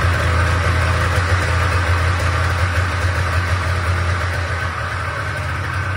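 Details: Old Polaris Trans Sport two-up long-track two-stroke snowmobile, unrun 10 years, after fuel system work: low fairly steady burbling idle with uneven popping about three a second; thermometer readings ~203 and ~224 show both cylinders firing, but too loud.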